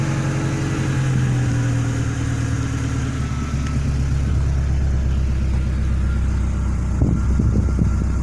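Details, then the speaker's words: Renault Clio 172 Phase 2 after a head rebuild with a new gasket and 16 new valves, in neutral after start-up: a steady, even idle with a smooth low hum and no knocks, ticks or misfire. The engine runs healthy. "So it goes exceptionally well. Sounds like really good. I'm very pleased with it."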